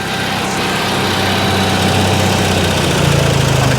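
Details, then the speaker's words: Salvage RV generator being shut off after its power output dropped out: a steady mid-pitched drone with an uneven throb keeps running longer than expected before winding down. Slow shutdown, cause unclear. "shut her off okay well it takes a while to shut down doesn't it God forbid you got an emergency going on right huh"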